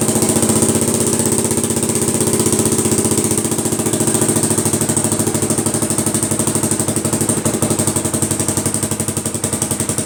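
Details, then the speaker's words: 1980 Honda XL250S, idling after DIY patch of its broken exhaust header: loud, raspy exhaust thump, much quieter than before but still harsh; patched header still leaking. "well it runs again it's a little quieter i mean a lot quieter but still pretty loud so progress anyway"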